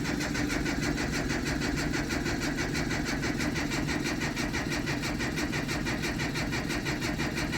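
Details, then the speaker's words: JDM Datsun that hasn't started for weeks after cutting out: it turns over at a steady pace but never fires, with a faint fuel pump hum still priming after the key is released. The pump is working; the owner suspects lost spark, unconfirmed. "So, yeah, it'll do that. You'll crank it over, it won't start. Then you release the key and you can hear the pump's still priming."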